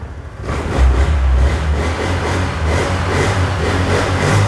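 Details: Honda Air Blade 110 fuel-injected scooter after faulty fuel injector diagnosed: pulls cleanly from idle to a smooth, even rev with no stumble or flat spot; healthy revving.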